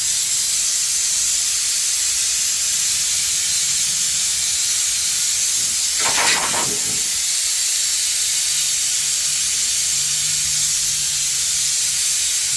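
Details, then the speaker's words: Home workshop air compressor with homemade air dryer and fitted relief valve, tank deliberately blown off to show refill: steady loud hiss of escaping air with brief stronger burst midway; normal blow-down. "and I'll blast the air out, and then you can sort of see how long it takes to refill and hear the relief valve that I fitted work too."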